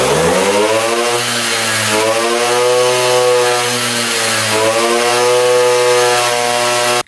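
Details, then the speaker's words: 1978 Puch two-stroke moped still really boggy: uneven revving, pitch sagging and recovering instead of climbing cleanly. The owner suspects the exhaust pipe, which is then removed and shows carbon buildup. "right. It's still really boggy. Let's take the pipe off."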